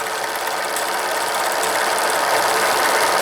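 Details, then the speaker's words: Steam launch with Cheddar Proteus 4.5 cc Maudsley reversing engine and engine-driven feed pump; bypass valve closed, boiler level had dropped; fast even ticking about 200 per minute over steady hiss, feed pump check ball clicking normally while refilling. "je vais accéer là ça Tom on entend c'est la bille alors le niveau a baissé"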